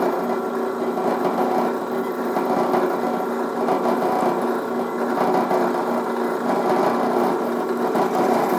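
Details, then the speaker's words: Newly assembled Harbor Freight drill press drilling a test hole in scrap steel; even mid-pitched motor whir with light cutting noise and no chatter or squeal: normal drilling, clean hole, faster than expected. "Got a nice clean hole in it. Drilled pretty nice. I'm actually really impressed with how fast it drilled."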